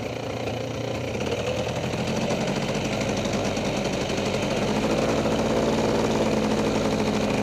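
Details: Freshly rebuilt Polaris 400 single-cylinder engine, back in the frame after a few heat cycles, on a slow break-in ride around the yard: steady thrum a little over three beats a second, building as it pulls away, no knock or clatter; smoking noted, runs evenly.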